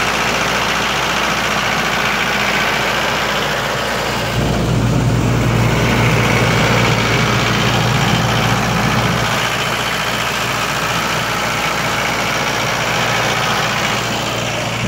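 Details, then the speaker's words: 1995 Libby MEP-804A 15 kW ex-military generator, 4-cylinder liquid-cooled Isuzu diesel, 1800 rpm, 2010 reset, 688 hours, cold start: fires and settles to steady, even clatter with no misses or knocks; runs great, load-tested two hours at 15 kW. "all good as you can hear it runs great no unusual noises whatsoever no leaks"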